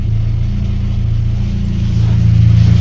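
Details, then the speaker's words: VAZ 21099 after cylinder head replacement and repair, ventilation fan off: deep even engine drone builds smoothly with revs, no knocks; sporty exhaust, engine healthy, gearbox whine quiets with clutch pressed. "час виключи вентилятор і почуєте Як працює двигун дренчить вихлоп спортивний Франкенштейн"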